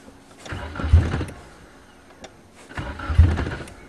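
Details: 1994 Nissan Sentra 1.6 cold start: two bursts of cranking with brief ragged firing that never catches; fuel pump not heard priming, cranks but won't stay running, cause unclear.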